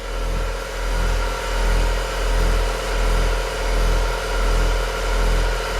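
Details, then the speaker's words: 1966 Chevy truck air compressor for air bags and air horn, rubber-mounted; loud steady drone swelling and fading about 1.5 times a second, running normally but noisy; a leak was heard at the horn. "Makes a lot of racket. You wouldn't think it would with sitting on rubber."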